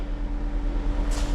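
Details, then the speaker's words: 2024 or 2025 Mazda CX-90 plug-in hybrid with crank-no-start complaint, after reconnecting the cooling fan and clearing codes, key on engine off: steady hum and rush of air, cooling fan running at high speed with engine not running. "Okay, so I hear the fan running high."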